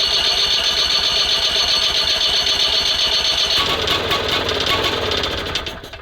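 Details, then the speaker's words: SMZ invalid carriage (motorized microcar) first start after long storage: steady rapid cranking chug about four beats a second, never catches; spark plug found flooded, spark checked good, timing at TDC instead of 3–4 mm before; cause suspected. "выкрутка кая а свеча залита х Ладно сейчас пальм свечу пропали хорошенько"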